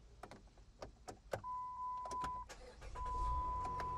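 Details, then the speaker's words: VW Routan with a dead battery (headlights were left on overnight), jump-started from an idling donor car. Short cranking bursts, then it catches and settles into a steady idle with a faint electrical whine, starting fine. "That sounds like a car running to me."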